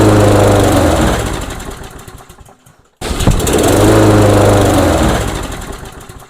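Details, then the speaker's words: Briggs & Stratton engine on a Yard King mower, compression believed adequate: fires and revs briefly only on starting fluid sprayed into the intake with the air cover off, dies, catches again and fades; fuel starvation traced to the carburetor. "no we do not we do not have to go any further we now know what the problem is we have to reinvestigate the carburetor"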